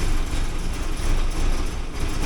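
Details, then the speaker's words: 1979 Porsche 924, cold start with fuel control pressure set low: starts right up, then a low, slightly uneven idle with a faint wavering beat, fitting lean running. "okay so it starts right up without any trouble at all when the proper fuel pressure is on it right pretty low so to get higher you have to pull on"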